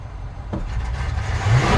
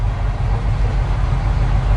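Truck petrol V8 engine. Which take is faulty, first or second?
first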